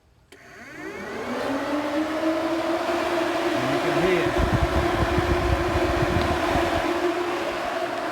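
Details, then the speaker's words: 2005 Nissan 350Z after replacing failed radiator cooling fans with Mishimoto units, running on low speed: fans spin up within a second to a smooth steady rush of air, even hum, no rubbing; healthy fans. "you can hear the air getting forced through those radios now so old fans definitely knackered"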